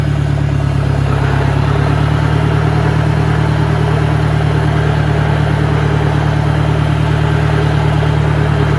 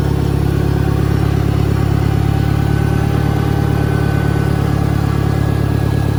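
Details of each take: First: 1965 John Deere 1010 with suspect maintenance, Stanley muffler, about 1000 rpm in first gear: a loud, steady low droning hum, heavier than it should be; the transmission is noisier than the 1963's, cause unknown. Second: 1963 John Deere 1010, original and properly maintained, 1,000 rpm, first gear on a backyard lap, needs valve seals; smooth, even low drone with only faint gear whine on top. Normal transmission noise.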